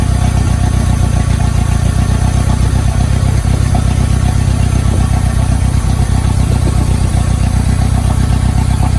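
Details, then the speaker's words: 1990 Mitsubishi Mighty Max at operating temperature on old spark plugs, before Sea Foam through the brake booster vacuum line: choppy idle pulsing about four times a second with irregular stumbles; misfire at idle. "So here we go. Got a nice choppy idle. Let's get the seafoam."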